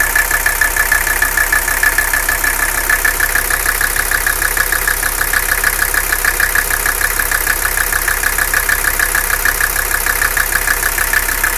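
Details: Mercedes 300CD diesel idling rough with engine noise; uneven beat about a hundred pulses a minute plus thin whistle; owner seeking diagnosis, cause unclear; rough idle with engine noise.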